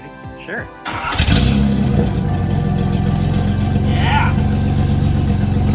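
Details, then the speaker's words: Nissan 300ZX manual, catalytic converter removed to cure a knocking noise: engine fires and settles into a loud, even exhaust drone with no knock; noise gone, so the cat was the cause. "alright so with no cat it appears to not be making the noise anymore you just hear out the engine noises"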